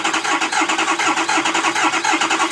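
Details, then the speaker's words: Ford 6.0 diesel misfire diagnosis, cranking without key: starter pulses swell and dip unevenly instead of consistent stress; low compression in one cylinder, base engine problem requiring teardown. "If all the cylinders were even, the stress on the starter would be consistent with the battery would have a cranking."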